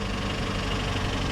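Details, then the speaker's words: Flooded Mercedes at a salvage auction, long-sitting: rough idle with a fast busy top-end rattle that never settles; suspected lack of lubrication from sitting, possible mechanical damage, unconfirmed. "I don't like that chatter but some of these cars sit for a long period of time guys and that can uh take a while for the top end to get re-lubricated that that doesn't that doesn't sound good"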